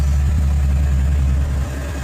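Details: 2013 Ford Mustang Boss 302, first start after oil pump replacement and full engine teardown and reassembly: smooth, even low rumble at idle, no knocks or ticks, settling slightly lower; healthy, no leaks, spilled coolant burning off exhaust.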